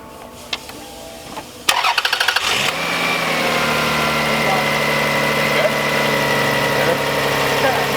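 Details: 1999 Lexus ES300 with code P0302, a cylinder 2 misfire, after ignition coil replacement. Starter cranks briefly, engine catches and settles into a smooth, steady idle with no stumble; normal idle.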